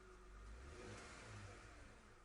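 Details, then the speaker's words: Donor van running before jump-starting a car with a dead battery, revved while the tachometer rises: smooth rev that climbs and settles evenly with no knocks, misses or squeals; sounds healthy. "Okay, I just turned on my car that I'm going to jump off of, so it's on. As you can see, I can see the RPM right here. This is the RPM. See, it goes up."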